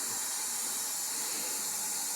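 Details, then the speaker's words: 1977 Datsun 280Z L28 engine leak-down test at top dead center, listening through hose: steady thin air hiss as cylinder bleeds into neighbour; compression was about 90 on cylinder one, 120 on two; diagnosed blown head gasket between cylinders. "Yep, definitely hear it there. A little past the rings. Yeah, I think that settles it. Blown head gasket."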